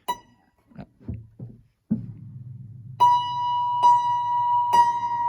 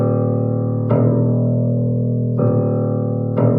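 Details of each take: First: 1935 Blüthner 5ft grand piano, three plucks of one unison: the right-hand string sounds noticeably flatter and beats against its partners because its tuning pin is loose (the other two pins are firmer); the piano sits at pitch 428, a quarter tone flat. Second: Bass string of a 1935 Blüthner 5ft grand with original coned strings, note struck repeatedly: clean, steady ring and smooth decay with no buzz; healthy bass string tone.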